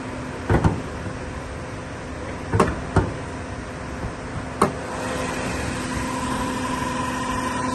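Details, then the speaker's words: Chevrolet Malibu Ecotec engine after timing chain cover removed, timing reset and chain adjuster refitted to fix whining from front timing chain caused by water pump replacement: a few clunks, then a quiet, smooth, even idle with no whine or tick; normal idle. "so then we start the car and it's super quiet now"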